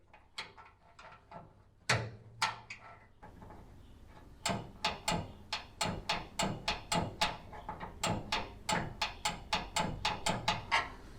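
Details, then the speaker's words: GE JEB1860DM2WW countertop microwave, unplugged, lower door slot switch pressed with a screwdriver: crisp, distinct clicks in uneven bursts as the green door switch actuates properly; the unit had been turning on with the door open. "there's a green switch that gets activated when the door is closed and if I press on it just right"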